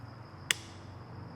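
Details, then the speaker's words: Piaggio BV400 scooter, battery just over 12 V, starter button pressed: single sharp click, voltage dips, no cranking; starter relay gets power, immobilizer working; starter relay clicking, no crank. "Drops a little bit, it's just clicking. So you could hear it through the mic, there's a little click. So the click means the starter relay is getting power."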